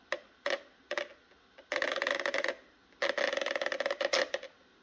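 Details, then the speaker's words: Makita 18V LXT line trimmer, brushless motor, head turned by hand. Light ticking clicks come in short bursts as the motor clicks across its magnetic poles. It sounds like a fault but is normal cogging. "The sound of the stator in that motor is perplexing. That's the most interesting thing I've heard out of a power tool ever, I think. It actually sounds like there's something wrong, but it's not. It's just the sound of the motor clicking across to the magnetic poles."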